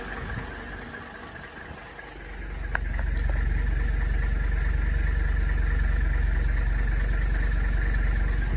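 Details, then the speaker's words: 1984 Mercedes-Benz 300SD diesel on its first run after revival, kept running with the foot on the throttle. It catches and settles into a fast clatter, a touch uneven, with a little blue smoke and no leaks. Shaky rough idle, cause unconfirmed. "It ran. I kept my foot on the gas so it'll keep running, but to start. It's got a shaky idle."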